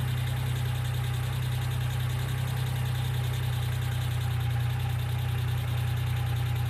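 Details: 1995 Geo Metro at steady low idle: light, fairly regular tapping, about three per second, sounding like a ticking hydraulic lifter. B-12 fuel injection cleaner is added to the engine oil before an oil change.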